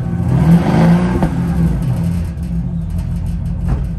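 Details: 2006 Porsche Cayenne Turbo S auction car listed as non-starting, started with a jump pack: deep smooth engine note rising and settling as it's blipped, no knocks or rattles; sounds healthy.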